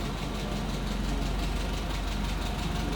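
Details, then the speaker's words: 1959 Hillman Husky sedan delivery, 1,390 cc inline four, just after cold start, heard from the back of the car: quiet, even idle with soft steady pulse, no knocking or ticking; normal idle. "Hear it run. Obviously pretty quiet. Not a lot of cubic inches pumping exhaust out."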